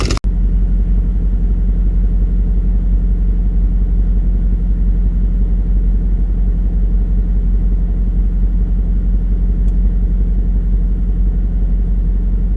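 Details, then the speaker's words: VW Touareg 4.2 V8 after off-road trail session in snow: loud heavy low rumble with lumpy knocking at idle, something rattling loose inside; block burst through, coolant lost, smoking from bottom, oil and coolant warnings; internal engine failure, holed block. "It does start, it does run, it does trying to drive, but there's obviously something rattling about inside. It's burst through the block, there's no coolant"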